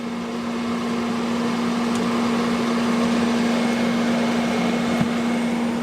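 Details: Fantastic Fan roof fan on a 4x4 pop-up truck camper, running to draw in the canvas when closing: smooth, steady low hum with constant pitch and quiet airflow hiss, very low noise; normal fan operation.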